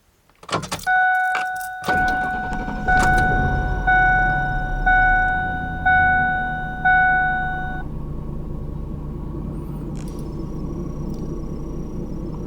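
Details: 1997–2004 Ford F150 after a fuel filter change, fuel system primed by cycling the key: warning chime pulses about once a second, then the engine catches cleanly and settles to a steady, even idle; normal start.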